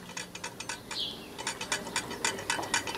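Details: Early-1940s EMMCO BAZ single-phase watthour meter (10–40 A, 400 rev/kWh) running with no load: quick, light ticking rattle about four times a second as the disk rides up and rubs the brake magnets; wheel bearing adjustment needed.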